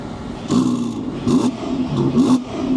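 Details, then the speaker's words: Car with valved exhaust, three crisp throttle blips with the exhaust valves open, rising and falling cleanly with a deep open note and no rattles; sounds healthy. "Yeah, valves open. Much better. Yes, we like the valves open."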